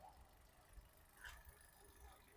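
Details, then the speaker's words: Used 2021 Maruti Swift Dzire VXi petrol engine idling, described as quiet, smooth and free of excess noise, with no oil leakage. Steady low even hum with no knocks, ticks or rattles; normal idle. "Engine beating అయితే silent ఉందన్న, ఎక్కడ over noise అలాంటిది ఏం లేదు. చాలా smooth ఉంది engine అయితే."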